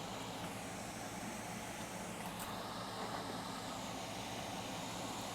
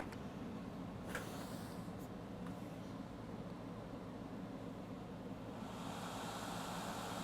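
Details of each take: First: Late 2012 iMac 27-inch after repair cured the 9-beep fault, three LEDs lit, screen not yet installed: constant rushing whoosh with no pitch change, fan running at full speed, cause unknown and unrelated to the beeps. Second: Late 2012 iMac 27-inch, previously fan at full speed with 9 beeps and shutdown, after chip resoldered to motherboard: near silence then steady even fan rush, no beeps, third LED on; normal fan run at startup after repair.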